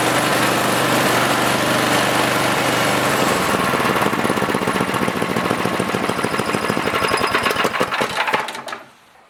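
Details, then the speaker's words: Ariens snowblower small single-cylinder engine after drive belt fix (spring repositioned so belt stops coming off pulleys): quick even popping rhythm, no slapping or squeal, then shuts down; normal running, belt stays on. "you can see now that belt will not come off that should fix her problem once and for all"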